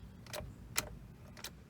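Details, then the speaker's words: 2005 Toyota Matrix, no crank, no start, all dash lights on: with brake pressed and key turned, only sharp clicks from under the left side of the dash about half a second apart. "happens I do hear clicking going on down there underneath the left side of the dash so let's figure out what this problem is"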